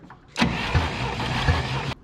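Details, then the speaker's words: Abandoned 1967 International Scout during a compression test: cylinder four gives uneven cranking with a rushing hiss and soft puffs each turn, with air blowing back through the carburetor. A sticking valve is suspected but not confirmed, and the cylinder still builds just under 120 psi. "Is that coming through the carburetor? You dang right it is."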